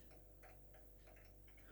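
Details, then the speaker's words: Fitzgerald 5 ft fluorescent striplight with a burned-out, dying T8 tube: soft irregular clicking of the starter cycling over a steady low mains hum as the tube flashes on and off and fails to strike. "you can hear the click that's it's flashing not right i'll try this one here we go news you can hear right you can hear it making a lot of clicking noises so"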